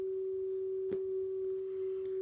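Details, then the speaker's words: Nakamichi ZX-7 cassette deck calibrating TDK MA 60 tape, monitor on source; clean steady pure 400 Hz test tone, no wavering or dropouts, record level spot on at 0 calibration point. "You can also move the monitor selector, won't hurt anything, to source, and you can hear the original test tone."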